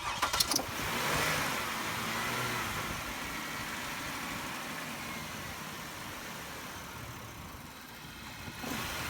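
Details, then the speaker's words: 2000 Chevy Impala 3.8L, engine warm, taking two or three tries to start before catching and settling into a steady idle; hard starting when warm; owner suspects the fuel pressure regulator, not confirmed. "we just had an example of the problem I had it took me like two three tries to start it up because the engine was warm"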